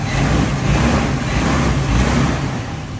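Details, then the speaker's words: Nissan Silvia S13 with a CA18DET engine after replacing a faulty fuel injector that had caused a misfire: the idle is loud, deep and even with no stumble, and all cylinders are firing with no misfire. "now i've taken out the injector from some of the tray and replaced it and as you can see now the car is absolutely perfect no misfire at all"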